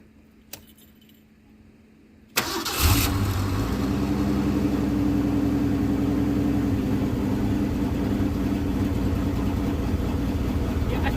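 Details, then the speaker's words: 1981 Ford Mustang, 200 inline-six, carburetor after T5 manual swap and bracket adjustment; cold start should fast-idle around 2,000 RPM. Cranks briefly, catches, settles into slowish even idle with no speed-up; cold fast idle set too low, needs raising. "to adjust that cold idle a little bit more because that's not high enough."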